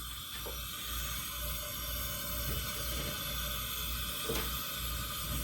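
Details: Steady, even roaring hiss from both burners with no sputtering or surging. A restored Albert Lea Foundry Tourist camp stove burns normally after its generator was preheated and gas was fed to the secondary burner.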